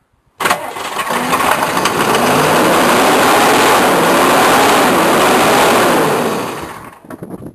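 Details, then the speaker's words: Cold diesel K3500, sat six months, owner thinks it needs an injection pump: long labored, hissy cranking at about two beats a second on starting spray, no firing. Owner suspects the solenoid melted internally or no fuel. Hard cold start. "I think the solenoid has melted internally"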